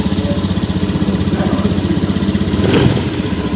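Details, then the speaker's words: Honda Beat scooter, previously sputtering, stalling and hard to start; fault was a damaged spark plug cap, now replaced: fires straight away on the starter and settles into an even, steady putter of about three beats per second, no misses. "starter langsung bisa hidup dan ditarik tasnya itu tidak ada masalah ini bisa nyala dengan normal ya temen"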